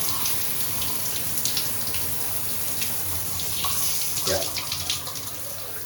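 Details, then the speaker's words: Grohe shower thermostatic mixer after valve replacement, water running while the temperature is adjusted: steady, even hiss with no spitting, surging or hammering. The new valve shows normal flow and no leak. "there's just the other bits and pieces filling with water again 10 o'clock okay there's no leak from the valve itself"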